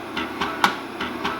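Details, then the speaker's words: 8-inch floppy drive from an HP 9895 connected to a PC, being formatted as 1.2 MB from DOS: quick regular mechanical taps, about two and a half per second, every other one sharper, as the head bumps its track end stop. "but at the end and I don't like that it just bumps the head right now you can hear it bumping"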